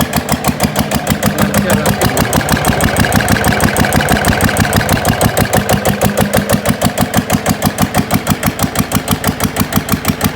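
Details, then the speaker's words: GA70 single-cylinder diesel on a stand, water had got into the sump, oil changed: starts easily, crisp evenly spaced thumps at steady idle, no misses or rattles, oil pressure indicator up; normal idle. "ดีรอดตัวไปติดง่ายน้ำมันเครื่องขึ้นแล้ว"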